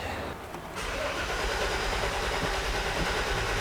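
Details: 1995 Chevy Suburban 5.7L V8 with bypass ignition system, towed in, previously in an accident: starter cranks at a steady rhythm but the engine never fires or catches; cranking no-start, fuel pump prime checked next.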